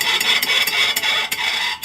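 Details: 1995 VW Pointer rear drum brake, wheel turned by hand: a sharp metallic scrape pulsing about three times a second; the brake shoes came loose and were damaged.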